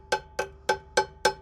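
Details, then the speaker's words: Truck drum brake just adjusted with a 14 socket, tightened fully then backed off 1/4 turn after being well out of adjustment; six quick hammer taps ring clear, hollow and bell-like, so the drum is free and the brake released, normal. "if it's hollow. It has to have a hollow sound, which means it's going to be released."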